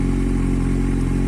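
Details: Kawasaki Z750 four-cylinder with a valve-like tapping traced to leaking exhaust header gasket rings, which were replaced: steady, even low rumble with no ticking or tapping; normal idle.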